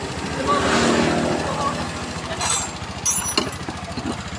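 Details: Honda Click 125 scooter with no stable idle, black exhaust smoke and weak pull: idle putters unevenly, stumbling and surging; dirty intake being cleaned, cause suspected not confirmed.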